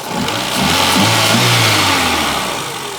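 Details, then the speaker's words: Renault Twingo after ECU fault repair, connectors reconnected: engine starts, picks up cleanly and revs smoothly with steady even firing, no stumble or miss, running on all four cylinders. Normal running. "Oh yeah. Oh yeah. The Twingo is back alive."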